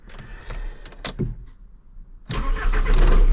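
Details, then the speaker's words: 6.0 diesel (SCT/livewire-tuned) started off a JomGand JQ3500 jump pack at 14.2 V after glow plugs shut off: starter cranks briefly, engine catches at once into a steady even clatter; healthy start. "I know it's going to start. That's one of the reasons why I've hung on to this car, man. For the fact that this thing literally just always starts."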